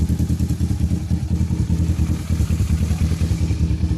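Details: Kawasaki Versys 650, after fixing a crank-but-no-start fault, tank temporarily fitted: steady, even low thumping at idle, about three pulses a second, no misses or clatter; normal idle.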